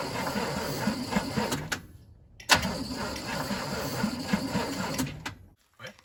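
Starter turns the V8 over in tired, uneven bursts with pauses and no catch; it cranks but won't fire, battery sounds low. Cause suspected, not confirmed.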